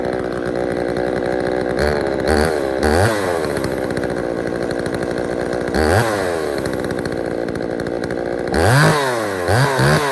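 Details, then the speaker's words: Poulan 3000 two-stroke chainsaw after service (fresh fuel, air filter cleaned), previously reported not starting: crisp idle with several quick blips to high revs dropping straight back; picks up and settles smoothly. "so there you guys have it. So there was really no issue with it running."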